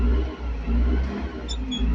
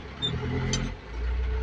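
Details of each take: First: Caterpillar TH580 telehandler diesel, full pedal: rumble swells slowly and unevenly in surges, never snapping up; slow throttle response and low power, fix involved a cable tie. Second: Caterpillar 580 telehandler diesel after low-power repair (suspected fuel lack, damaged wire): steady low drone settles then picks up evenly, no stumble or miss, getting power again; normal running.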